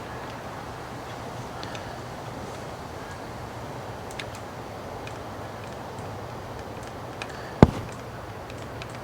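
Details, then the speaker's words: 1974 Honda CL450 being revived after 25 years stored: faint scattered ticks then a sharp snap as the points are opened and closed by hand without kicking; healthy spark popping. "I can definitely hear it I don't know if you guys can see it but I can hear it popping"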